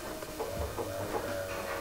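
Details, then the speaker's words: Mk2 VW Golf GTI barn find, parked 20 years: faint steady electric hum for about two seconds as the fuel pump primes with the relay manually switched; relay and pump work, key signal to relay cut, 80s alarm suspected. "that is the fuel pump priming the relay works and the fuel pump primes but when you turn the key nothing happens"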